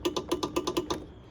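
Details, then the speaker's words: 2004 Trailblazer 250 two-stroke not starting: about eight quick sharp clicks at roughly eight per second, then silence, no cranking; clicks but won't start; fault was a bad key switch. "figured out that it had a bad key switch which it's in the box but this one it doesn't start it just clicks but"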